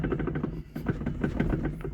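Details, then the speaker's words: Lada Granta: metallic knock when the steering wheel is turned sharply left and right, also over small bumps; cardan joints and steering rack ruled out, so the electric power steering reducer is blamed and is to be greased. "Вот на кочках на мелких тоже металлический этот ступ. Короче, звук очень мерзкий, короче."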